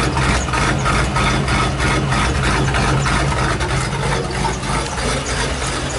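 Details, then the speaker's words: 1999 Ford F250 XLT Super Duty, 5.4L Triton V8 farm truck: engine shaking and chugging with uneven low thumps, never settling; rough, surging idle with hard starting in cool damp weather, no check engine light or stored codes, misfire suspected. "okay it's shaking kind of a rough idle"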